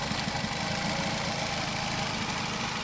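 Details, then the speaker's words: 2005 Nissan Altima at idle: uneven, stumbling, lumpy running with irregular beats breaking the rhythm; a cylinder is misfiring, being diagnosed by swapping parts between cylinders, cause not yet pinned down. "This is a simple way to check for a misfire. This one misfire. This one's good."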